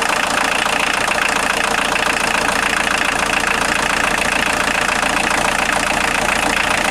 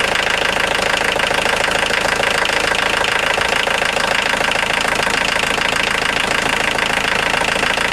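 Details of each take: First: Steady, even idle clatter from a 1990 Volkswagen Jetta Mk2 1.6L diesel with no squeal or chirp, started after an alternator belt drive repair and modification; the belt drive is quiet and healthy. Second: 1990 Volkswagen Jetta Mk2 1.6L diesel at idle: bright, fast chirping over the clatter as the alternator belt slips slightly and rubs against its cover, a previous owner's JB-Weld metal strip repair; worn belt drive.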